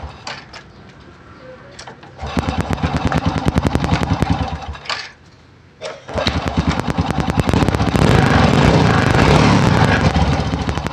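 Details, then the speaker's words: Honda Supra motorcycle with a newly installed replacement carburetor, started straight away without adjusting the air or idle screws. The single-cylinder putters at a quick, steady beat, then revs up crisply and settles without misses; running normally. "tapi lumayan ya dia pasang langsung hidup ya tanpa menyetel angin ataupun sel khasnya ini ya"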